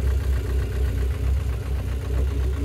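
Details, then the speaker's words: Engine at steady low idle after an oil flush for sticking hydraulic lifters, before the final oil: only a faint light tick remains, much less clatter than before, now fairly smooth; lifter tick reduced, possibly only partly solved. "on a déjà légèrement même beaucoup moins de claquement donc on verra avec l'uile définitive après"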